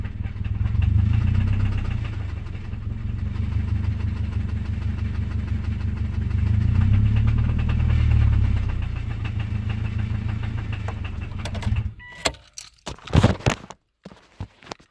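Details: 2005 Subaru EJ253 naturally aspirated engine: a rough low idle with a deep, uneven knock underneath for about twelve seconds, then shutdown clatter; rod knock.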